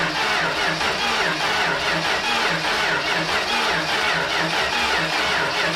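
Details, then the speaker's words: 1968 Dodge Dart with slant six, pulled from a junkyard and sitting 18 years, coil hot-wired with 12 V bypassing the ballast resistor and cranked via the starter relay: steady churn with no firing; cranks but no start, spark next to check. "Still not starting. I think I'm going to uh check for spark now."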